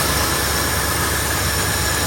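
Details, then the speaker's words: 1972 Ford F100 junkyard truck that sat for decades, idling just after fitting a rebuilt carburetor to cure rough running. It holds a steady, even, low rumble with no misses, knocks or hunting and no exhaust smoke, a clean normal V8 idle. "there it is guys rebuilt carburetor just like that starts right up idling perfectly heel PK working good no smoke coming out of the exhaust"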